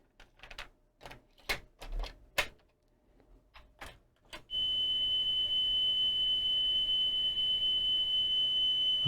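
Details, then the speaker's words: Sony TC-K415 cassette deck after new drive belts, FF/REW motor cog and pinch roller (old hard roller caused flutter): handling clicks, then a clean steady test tone without wavering or dropouts; plays back perfectly. "nice smooth signal so we are effectively done this tape deck is now working perfectly which is brilliant"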